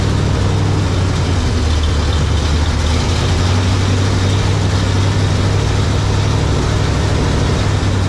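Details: 1967 GMC 910 Custom pickup with newly installed exhaust and muffler, start after fixes, battery boosted in cold winter weather: deep steady idle with even firing, no knocks, ticks or exhaust leaks; running healthy.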